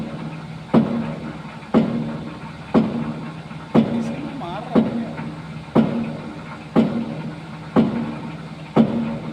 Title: Loco wheel rotation abnormal sound